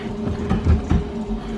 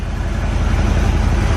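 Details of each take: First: Corvette V8 after restart, newly fixed plug wires, weak battery on charger: rough idle with loose puffing tick riding the exhaust pulses; air felt at passenger-side collector, exhaust leak at the collector donut gasket. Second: Corvette V8 after tune-up, now fed from its cleaned tank with replaced fuel lines, warming up with good oil pressure: deep, even, smooth idle with no skips; no longer missing.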